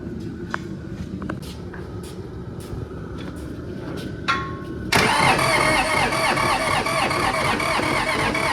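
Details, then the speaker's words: 1959-60 Allis Chalmers D17 Series 1 tractor, sat about 10 years, new fuel pump and battery, lines still needing bleeding: slow, uneven cranking with clicks, then catches loud and ragged; something was sticking or hanging up during starting. "So it was kind of sticking, something hanging up when we're trying to start it."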